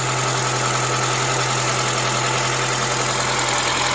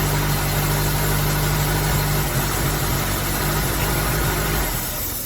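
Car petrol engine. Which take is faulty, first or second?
second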